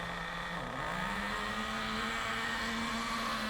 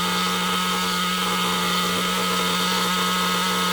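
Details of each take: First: Nitro RC car engine warming up to operating temperature while set very rich. It buzzes at a steady high pitch but is slow, uneven and sluggish because it cannot burn off all the fuel, and it gets quicker as it warms. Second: Nitro RC car engine at idle after the tick-over screw was turned back out, because tick-over had risen from low-speed needle adjustment. Steady, high-pitched buzz holds an even, settled idle without hunting or surging; idle speed now set correctly.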